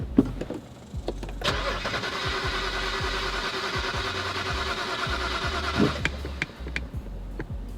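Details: BMW E91 325xi wagon that sat three years, fuel pump control module (EKP) just replaced: steady starter churn about four seconds with even pulses, never catches; crank-no-start, cause not found, battery and trunk fuses to be checked next.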